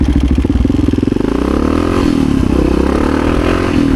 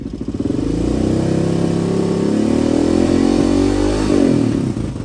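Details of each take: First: 1986 Honda HRC XR600 (XR628R) dual-carb single after rejetting to 135 mains, needle clips richest on both carbs: on-road acceleration in first and second pulls smooth and strong, no pops, front wheel lifting; it was running lean before. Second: 1986 Honda HRC XR628R (XR600) dual-carb single during jetting: revs up easily when throttle is rolled on but still breaking up past half throttle, with faint pops on overrun; lean backfire popping, richer secondary helping.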